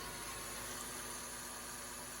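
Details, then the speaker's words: 2012 Dodge Grand Caravan 3.6 Pentastar, owner suspected a bad water pump; a small stone caused belt squeak and tensioner rattle. After removal: smooth, even engine hum with no rattle, chirp or grind; accessory drive normal, pump not replaced. "take a listen and you'll have to just take it for granted that I'm telling you it sounds normal"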